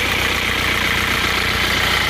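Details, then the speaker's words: Isuzu Panther Touring automatic diesel, previously rebuilt with new liners, blowing by, losing coolant and overheating: rough idle with fast, steady low knocking under harsh clatter; worn glazed liner/piston fit lets pistons slap. "Suara mesinnya juga kurang halus ini, Lur."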